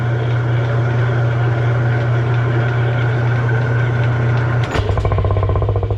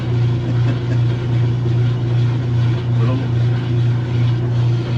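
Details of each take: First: Kenmore washer after repair, using a transmission that sat outside over two years, with the lid switch jumped and set on spin: a steady smooth low hum, then clunks as it winds down. Normal spin cycle. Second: Kenmore top-load washer that agitates and drains but won't spin, lid switch bypassed; motor hums steadily with slow soft pulse while drum barely picks up speed; weak spin from worn clutch shoes.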